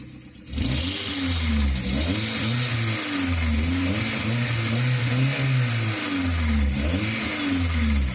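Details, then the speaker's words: Alternator accessory belt now quiet after paraffin wax was applied to cure a cricket-like chirp. Engine blips up and down with a clean note and no squeak from the belt. "Bom, galera, resolveu, tá? Acabou aqui no chato, tá bom?"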